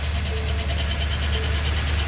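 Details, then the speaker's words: 2020 Ford F250 Super Duty 7.3 Godzilla, gen-1 10-speed, 850 miles: rough gritty grinding at idle only in drive with the brake held, gone on throttle; defective transmission. "hear that noise that grinding noise that's the noise that's the noise you're going to be listening for it's in drive i got the e-brake on and it only happens when it's in drive and you got your brake on"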